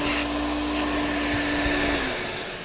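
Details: Electrolux Z1010 (twin turbo) vacuum after refurb, tested with hose and extension tool; steady high motor whine with clean airflow rush holds even then winds down; runs smoothly, normal.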